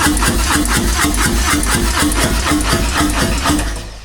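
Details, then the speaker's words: Fuel-injected Harley-Davidson, died and won't restart: starter cranks steadily at about three pulses a second but never catches, no engine light or codes; fuel line found blown off inside the tank, no fuel pressure reaching injectors. "that's all we get. And once again, no engine light, so nothing's helping me."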